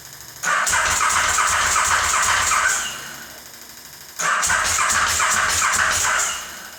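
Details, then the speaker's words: KTM 950 SM on car battery, gravity-fed fuel, starting fluid sprayed into carb inlets: two cranking bursts of about two seconds, starter spins steadily but never catches; owner suspects ignition or fuel delivery, spark confirmed. "Nothing. So it might be ignition or throw."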